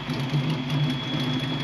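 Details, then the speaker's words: Ford Fox-body Mustang V8 idling after MAF and computer swaps: lumpy idle with sharp puffing tick on exhaust pulses, an exhaust leak still present. "So you can hear there's still an exhaust leak."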